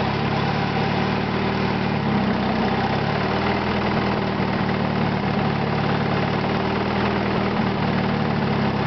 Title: knocking sound part 2